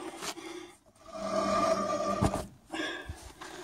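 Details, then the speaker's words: 1977 Ford F250, hand-spun rear wheel: dry rasping scrape with faint steady squeal fading as it slows; owner suspects a broken brake spring, rear brakes then serviced. "Notice the scraping noise coming from this wheel area right here, and I'm going to go ahead and raise the vehicle and see if I can figure out if it's a broken brake spring or just what it is. Don't particularly like the sound of that."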